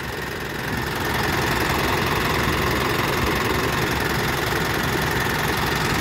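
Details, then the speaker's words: Mitsubishi Triton GLS diesel idling, check engine light on, hard starting; steady idle with fast even ticking about three or four per second; valve tappet noise, valve clearances need adjustment. "Teman-teman dengar suara engine valve-nya kerak gitu ya. Ini perlu adjustment bagian klep."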